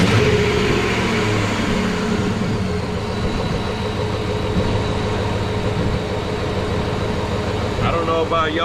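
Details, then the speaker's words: 2003 Hemi V8 Ram pickup, heard at the open engine bay on start-up, after a complaint of running oddly and transmission slipping: it catches and settles into a steady, even idle with no knocks or misses, sounding as normal as ever. "guys but that sounded just as normal as ever"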